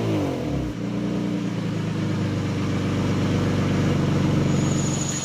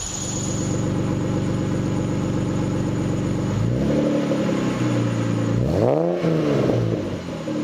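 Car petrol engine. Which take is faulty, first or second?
first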